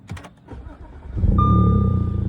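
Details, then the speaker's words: B8 Audi S4 supercharged engine, a little over 300,000 on the clock, stock exhaust, already warmed up earlier: short crank, fires quickly and settles into an even smooth idle under a steady chime; healthy start. "Sounds pretty good. And the supercharger actually sounds amazing when I had the intake off."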